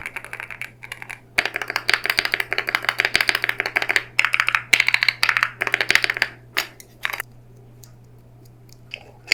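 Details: Wooting 80HE keyboard sound test: quick bursts of sharp clacky keystrokes with some hollow, loose-sounding presses from a rattling spacebar stabilizer; stabilizers and spacebar judged subpar for a premium keyboard, needing replacement parts or modding.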